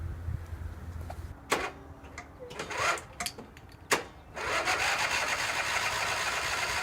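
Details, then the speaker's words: Garage-find Cub Cadet 1190 lawn tractor; starter sometimes reluctant, owner suspects it may need replacing, but it starts fine this time: clatter, then catches and settles into a steady, even run with no knocks; drive belt a little stiff. "okay so it started up fine uh runs good too I mean I can't complain that much about it starters seem to be doing better this morning too"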